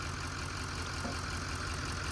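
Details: LML Duramax diesel truck idling after fuel filter housing replacement, with the owner saying it should never leak back down; steady, even diesel clatter with no stumble or miss, running smoothly and healthy.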